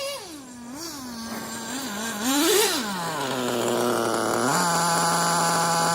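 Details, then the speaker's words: Traxxas T-Maxx RC truck, Dynamite .19 nitro engine on 30% fuel, slightly rich rough tune: wanders then settles into a steady fast buzz, too high for idle; transmitter lacks throttle trim, so high idle from throttle held slightly open. "my transmitter has no trim for throttle on it, so it holds my throttle open ever so slightly. That's why the idle sounds like it's a little bit high."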